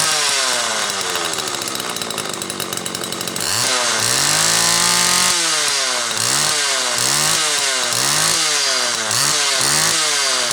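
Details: Homelite XL Automatic chainsaw after repair (new bar stud; a fuel fault had made it run only on full choke), half warm on a cold morning, started in about 6 pulls: crisp two-stroke scream rising and falling cleanly with quick throttle blips, high speed tuned close enough. Runs normally.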